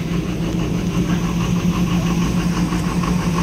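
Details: After the stuck solenoid was dealt with on an engine that had power but would not start, it fires and holds a steady, even idle with a low, smooth hum and no knocks, misses or ticks.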